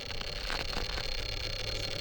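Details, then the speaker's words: Furitek Python x Dynamic 380 motor combo in a Geisha Racing RC crawler at slow crawl on rocks: uneven, stuttering, surging noise, super jerky, throttle all or nothing, with no bind; owner suspects motor tuning or the FOC. "And it kind of seems like you get to a point where the throttle is either all or nothing. I got myself in a bad spot here. And you have to be super careful on your throttle. What the heck? Try to slow crawl up it. It sounds like that motor is just not happy."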